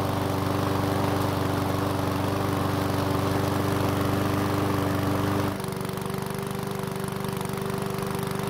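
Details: One-season-old self-propelled Powersmart mower with the bigger engine, after fresh fuel and a no-start fix: starts first pull with brief smoke that clears, steady even note dropping smoothly to lower speed near the end; healthy.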